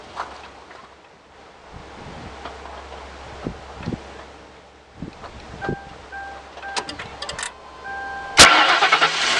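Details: 2004 Crown Victoria 4.6 cold start after sitting: warning chime, then a harsh high screech as the engine cranks and catches, fading shortly after; persists with belt removed, seems from left valve cover area, owner suspects timing chain.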